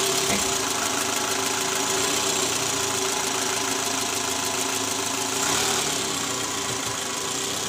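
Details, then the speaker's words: 2012 Toyota Alphard ANH20, 2AZ engine, about 101,000 km, just started after replacing the worn, loose balancer shaft: an even, smooth idle with no rattle or knock. Before the repair there was a rough "krrr" rattle under the oil pan at morning cold start, in D-R and with A/C on. "Jadi sekarang suara mesinnya lebih halus dibandingkan sebelum kami mengganti balancer."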